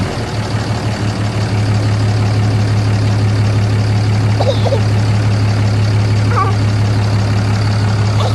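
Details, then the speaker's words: 2012 6.7L Cummins diesel, first start after installing a grid heater delete plenum and intake horn: deep, steady idle with an even low rumble and no misses, knocks or fuel leaks; normal idle. "right, you guys. Sounds pretty good. Sounds good."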